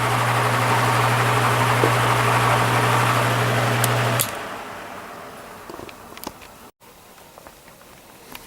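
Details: Repaired spare plastic Marco motor with blade from vintage Lasko/Galaxy box fan on low speed, 1 A and 80 W: steady even low hum with no rattle or scrape for about four seconds, then switched off; runs just fine.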